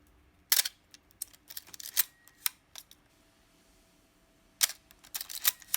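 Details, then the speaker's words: Canon A-1 35mm film camera, a few days after lubricating the shutter and letting it sit upside down: crisp, clean shutter clacks with quick winding clicks between and no squeak; normal shutter release. "so a few days later the sound is got much better so i think the advice is uh once you lubricate uh what i've done is let the camera sit upside down"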